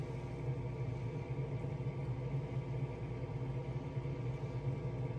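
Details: Draft fan on a 2017 Heatmaster G100s outdoor wood boiler, just cleaned of creosote and remounted, tested on cold start with damper opening: low, steady hum with an even whoosh, no rattle or scrape; fan spinning smoothly.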